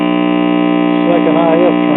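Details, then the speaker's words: Junker Admiral tube radio, signal tracer on the second IF transformer secondary at full gain: mostly loud steady hum with a faint warbling station; weak signal from silver migration in the second IF transformer. "Transformer and as you can hear we're getting a little bit of signal there but I have to have the gain turned all the way up that makes me wonder if possibly our secondary winding on the second if Transformer might be possibly open"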